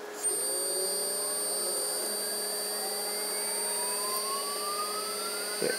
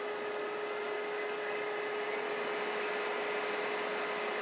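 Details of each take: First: AC induction motor on a DIY-kit inverter, 12 V battery pack, foot-pedal throttle, no load: at full throttle a thin whine climbs slowly over several seconds. The motor is sluggish reaching speed, cause unknown, with no regen above a certain rpm. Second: AC induction motor driven by a DIY kit inverter, encoder working, throttle via foot pedal, at maximum rpm; steady, even run with a constant whine and faint high whistle, no knocks, normal running at full speed.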